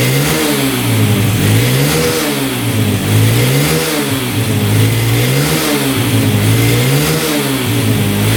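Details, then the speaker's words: 2011 Yamaha Raptor 125 quad: it starts and runs fairly well on choke, but engine speed rises and sags about once a second and won't rev out cleanly; with the choke off it stalls. Spark plug is ruled out. "Well, it's doing the same exact thing that the seller was saying. So, it's revving out with the choke on. Um, you start it up with the choke on. It runs pretty decent, actually. you turn the choke off, it stalls out and doesn't want to rev out."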